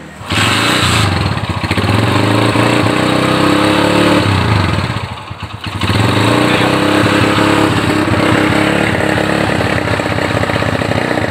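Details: Honda GL Neotech motorcycle that runs but stutters when throttled, with high fuel use and a black plug. It revs unevenly and nearly dies midway, a stuttering misfire under throttle. A new plug didn't fix it; cause unconfirmed.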